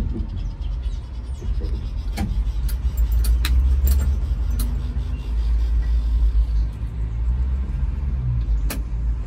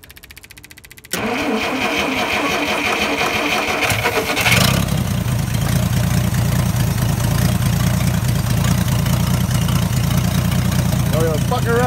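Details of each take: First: Dodge D300 military truck with slant six and manual, stood about 22 years under a tree, points just changed: rough, ragged chugging that keeps stumbling and dies as it runs out of petrol (fuel starvation). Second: Old Dodge D300 military truck that stood about 20+ years under a tree, started after recovery. It catches after a short crank and settles into a steady, even low idle with no misses or knocks.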